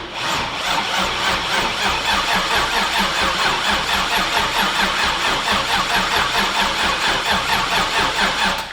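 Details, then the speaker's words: LS V8 swapped into a Volvo 240 wagon, first start attempt: slow, labouring crank of about two beats a second that never catches, from a weak battery, while the fuel pumps weren't working because of a bad relay. "Oh, it's bad. Oh shit. So for one, it's cranking slow. Gonna get a bigger battery."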